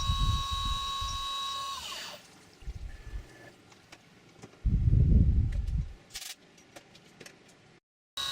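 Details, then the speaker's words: CNC milling an AR15 high-rail gas block side: steady, clean spindle whine with no end mill chatter at the back of the cut because material was relieved in an earlier operation. "So if you notice, you don't hear that end mill chattering when it hits the very back of it, where it's gouging into all that material, because I've relieved it away prior to this operation."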